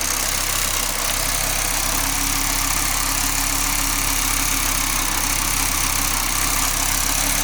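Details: Audi 20V turbo petrol engine idling: faint rough rattle over the engine hum from the exhaust area; turbo already removed and overhauled and not the cause, source not yet found.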